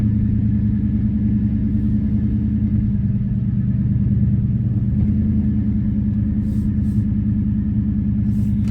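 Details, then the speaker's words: 2001 Mustang Bullitt V8 on first start after a JLT cold air intake and a VMP tune: a deep, steady rumble with an even lope and no misses or ticks. A clean, healthy idle. "All right, started up fine."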